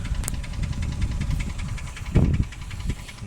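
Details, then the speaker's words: Toyota 1KR-FE engine at idle: steady, fast knocking over a low rumble, in time with the engine; recent new knock with source not pinned down, though the owner says the valvetrain used to knock on cold winter starts and stop when warm. "Недавно мой двигатель 1KR начал стучать."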